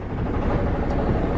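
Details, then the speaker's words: 1978 Yanmar YSB8 marine diesel, sat 10+ years in a flooded boat, first run in years, at lowest idle in forward gear: low, even chug with no knocks or stumbling; propeller turning, works in forward just fine. "Oh yeah. There you go. It's working in forward just fine."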